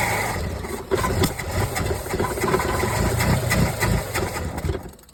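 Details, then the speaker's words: 1981 Chevrolet Camaro 3.8 L V6, sitting since 1989, revived on a refilled carburetor bowl after a single wire fixed: catches and settles into a steady, even mid-pitched idle with no knocks, little smoke; running fine. "That is awesome. That is absolutely awesome. Actually didn't smoke much at all that time. That's kind of cool. Ran remarkably pretty decent."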